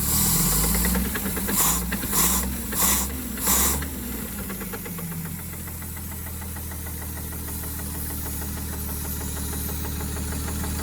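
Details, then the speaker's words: Late-60s/early-70s Towmotor forklift Chrysler flathead six side-valve, semi-seized after sitting for years, first run: uneven knocking about 100 a minute over rough low idle; bottom-end knock, owner expects a ruined conrod and journal. "oh what's going on there laughs what's going on oh this is admiring that big knock in the bottom in there"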